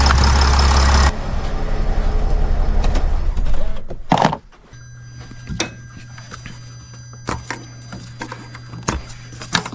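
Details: Sprinter van 3.0L diesel, after engine oil cooler replacement, no leaks found underneath: steady even idle for about four seconds with no knocks or misses, then engine shut off; sounds healthy.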